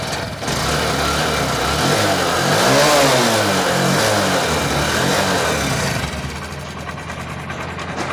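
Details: Honda Shine BS6 single-cylinder bike with ECM starting problem, after fuel pump coupler reconnected and ignition cycled: fires and pulls a steady beat, rising smoothly with throttle and easing back; runs properly.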